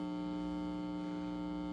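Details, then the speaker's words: Marshall JCM800 Lead Series amp after power supply repair, bias -37.4 V, 418 V plate: steady loud low hum with buzzy overtone, unchanged by controls; disappears when second-stage preamp tube is pulled, power amp unaffected. "I'm turning it up loud enough so you can hear it hum"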